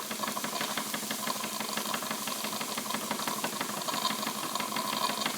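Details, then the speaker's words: Wilesco D20 toy steam engine at about 1.6 bar, running clockwise: a steady high hiss over quick exhaust chuffs as the safety valve lifts normally. "You can hear that hissing. That is the safety valve as it's lifting."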